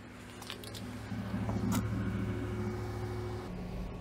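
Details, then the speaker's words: 2015 Ford F-250 Super Duty 6.2L V8 on a test drive after new ignition coils cured a cylinder 8 misfire (P0308): smooth even low hum pulling off, no stumble; throttle response not noticeably better but far better than with the misfire. "You know, I can't really tell much improvement in terms of throttle response or anything, but I mean, it's a hell of a lot better than it was with our misfire."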